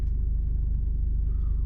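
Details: Car just started after a camshaft position sensor replacement, with codes cleared and a fuel pressure regulator code seen: short, steady low rumble at idle with no ticks, stumbles or surges; battery low at 11.8 V resting, 13.2 V running.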